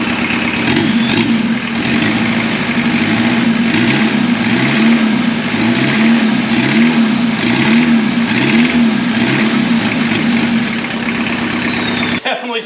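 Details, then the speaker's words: 1.6 L turbo diesel swapped into a Volkswagen Caddy, idling with a sharp metallic ping about once a second. Two injectors are firing poorly from lack of fuel, possibly aeration; the pump seems okay, and the injectors are to be rebuilt and pop-tested. "That pinging noise you hear is just that diesel ping from those injectors not firing well, so it's just a lack of fuel, some aeration probably."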